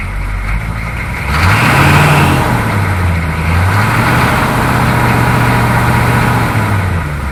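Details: 6.2 diesel Suburban after installing a freeze-plug 41mm block heater and new alternator and refilling coolant; clatter rises briefly in revs then settles to a steady, even beat, no misses or knocks; healthy idle.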